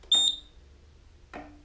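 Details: Roma Sorrento mobility scooter, after throttle potentiometer replacement for a throttle fault code and drive adjustment at the tiller: a short, sharp high beep, then a faint click in a quiet room; normal reverse beeper.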